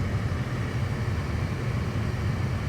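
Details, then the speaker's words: Second-generation Acura RDX (2012–2018) after blower motor replacement, fan on maximum: a steady, even rush of air with no rattles, squeals or scraping; the new blower motor works normally. "No weird noises. And I can hear that the blower motor is running. Everything seems to be fine."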